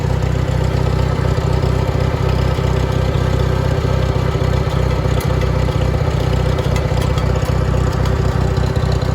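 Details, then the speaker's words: International Harvester 424 utility tractor, 4-cylinder gas engine with oversized carburetor jet (smoking a bit more), idling not yet warm: steady, even low thrum with regular beat, no knocks or misses; good oil pressure, runs well. "Got good oil pressure. It's not up to temp yet, but it runs really good."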